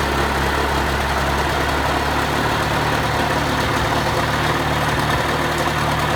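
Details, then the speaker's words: 1986 Mercury 35 hp two-stroke outboard after tilt-trim motor brush repair and carburetor idle raised slightly: smooth steady burble at idle, no stumbles or surges; idle healthy and stable. "I just had to make some find adjustments on the carburetor to get it running either increase the idle a little bit and that seemed to help it smooth out it in neutral"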